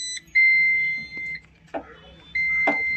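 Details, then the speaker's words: Mahindra Jeeto Plus BS6 with a urea/DEF fault: two long high beeps from the dashboard chime. The display had counted down to 50 km left and now shows start-denied malfunction, so the vehicle will not start. "Second generate है और इसमें लिखा आ रहा है start denied this mall function. अभी गाड़ी start भी नहीं होगा।"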